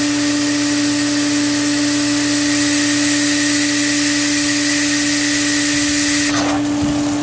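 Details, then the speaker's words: Pool filter right after reinstalling part, pump back on in filtration mode, air relief at filter top open: steady pump hum under constant hiss of escaping air; normal venting, though owner feared it might clog. "Air relief at the top is still open. Hopefully it'll shoot out and it's not clogged, but I can't promise that."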